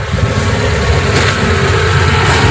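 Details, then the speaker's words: Hyundai Atoz GLS 2001 engine at idle with AC off: smooth, low, even idle hum, no growl, knock or roughness, running healthy (compressor tends to growl when AC is on). "Nah kalau aslinya mati suaranya tenang halus suaranya"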